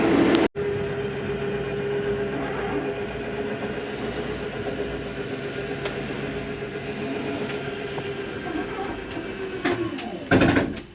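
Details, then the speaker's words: Jay Flight SLX 32BHDS travel trailer slide-out retracting. A steady electric motor drone and whine ends in a harsher grinding burst at full retraction; this is normal, as the slide senses its end of travel and stops. "did want to hear that if you hear that sounds like a grinding noise don't worry it's not a grinding that's how the slide tells itself to stop going in it doesn't hurt to hear for a couple seconds"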